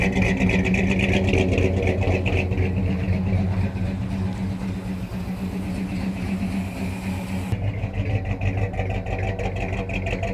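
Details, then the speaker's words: 1971 Dodge Sweptline big-block V8 clearing a fuel flood that hydrolocked its rear cylinders, idling: lumpy uneven beat steadying over several seconds; fuel-fouled plugs, fuel through exhaust, blue oil-smelling smoke from passenger bank. "Man, she just drowned in fuel. Still putting out a lot of fuel through the exhaust. Sounds like she's cleaning up a little bit."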